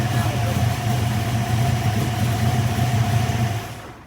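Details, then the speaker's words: Rebuilt engine, after replacing lifters and cam and fitting longer pushrods for a suspected lifter noise: smooth, even low idle rumble with faint hum, no knocks or ticks; timing dead on 20, runs fine. "Car's running fine."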